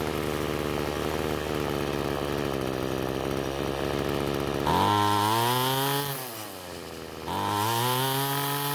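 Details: Ryobi two-stroke trimmer that wouldn't start, after turning carburetor H screw counterclockwise for more fuel: steady idle then clean revs rising and falling smoothly with throttle, no bogging; running much better.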